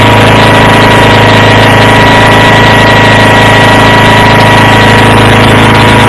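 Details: Approx. 1976 Sears GT18 tractor (a commenter says 1978–79), Onan 18 HP twin, at 54°F with choke off, after carburetor cleaning and fuel pump rebuild. It previously ran rough; now an even, unbroken idle drone at steady pitch with no skips or surging, normal running.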